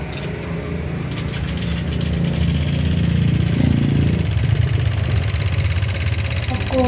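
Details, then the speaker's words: Honda Vario 125 (older LED model) with a very rough engine: catches and idles with a quick, uneven metallic ticking from the cylinder head; the suspected cause is a seized rocker arm roller. "Oke, seperti ini untuk suaranya di area head ya. Ini sepertinya di area headnya ada yang bermasalah."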